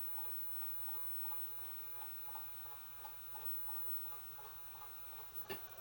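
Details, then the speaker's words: 1984 woodgrain Panasonic PV-1331 VCR switched into slow motion from pause: soft, uneven ticking about once or twice a second over a faint hum, like a jackhammer or pile driver; normal slow-motion mechanism clatter. "sounds like a jackhammer at a construction site or a pile driver or something"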